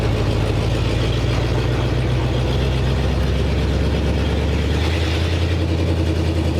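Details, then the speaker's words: 1947 Ford panel truck with a new custom exhaust, driving: steady deep engine rumble, quieter than before, with a faint puffing tick under the drone; an exhaust leak still suspected up front. "a little better already I think it still got a link up front yeah definitely stolen exactly"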